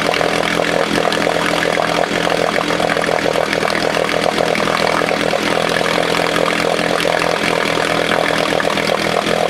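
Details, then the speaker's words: 1968 Johnson 6 hp outboard running: small two-stroke buzzing hard and steady with a rattly, raspy edge; the noise was traced to a specific part, not something under the flywheel as first suspected. "This is what's making the noise. Before, we thought there was something under the flywheel making that noise."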